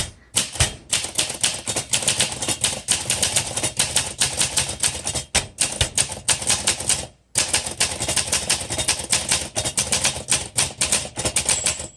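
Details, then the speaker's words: 1963 Olympia SM5 typewriter (cursive font) typing the quick brown fox line: quick, crisp keystrikes in a steady run, then a bright margin bell near the line end signalling a carriage return. Normal typing with margin bell. "There's the bell. So when you hear the bell, that tells you to hit the return handle through the house. And there's that bell again."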